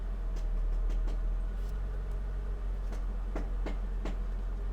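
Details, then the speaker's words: Mercedes SL500 R230, ABC suspension, running: sharp irregular pops over a steady hum; popping returned despite replaced strut ball joint, cause not pinned down. "yeah the pop is back here we'll put this outside there you go listen to that yep yep yep yep yep yep yep this is the car that just keeps you wondering so anyway the pop is back"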